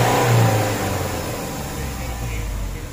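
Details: Mitsubishi Fuso 4P10F1 diesel after a no-start fixed by a reset, check engine light off and no codes: rises into a strong rev and settles back evenly with no misses, knocks or hesitation; normal revving, engine healthy.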